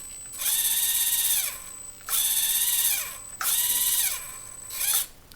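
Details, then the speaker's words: Axial SCX24 Jeep JLU crawler after installing CVD axle shafts and under-drive gears; near full steering lock the steering binds tightly, and short whining motor bursts sag in pitch as binding drags the motor down; bogging from steering bind. "And there's bogging the motor. Kind of bummed. So it's effectively less turning than the stock setup."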